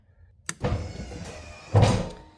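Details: Ram RHO with newly installed Rough Country electric running boards, first power-up after battery reconnection: two short motor whirs, each ending in a soft thunk as the steps swing out and drop; smooth, no grinding, deploying normally.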